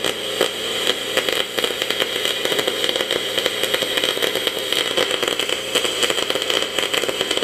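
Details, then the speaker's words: Welding quarter-inch aluminum tubing with welder set for 3/8: harsh, irregular crackling and popping instead of a steady sizzle, arc jumping from oxidation and contamination on uncleaned aluminum. "as you seen the the splatter or the the beet itself it was jumping to cracking around and all that is is was oxidation and con"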